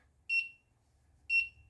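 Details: DIY stovetop temperature monitor, with the stovetop hot and averaged sensor readings over the threshold: two short, sharp, high beeps about a second apart, the buzzer's high-temperature audio alert.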